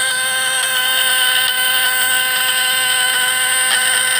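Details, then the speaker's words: 24-volt contact-breaker (platinum points) fish-shocker being tuned for tilapia gives a smooth, unwavering high buzz with even tone, no stutter; slight sparking acceptable as long as sound is steady; points set correctly. "Sekalipun ada sedikit percikan, itu tidak masalah selama suaranya mantap."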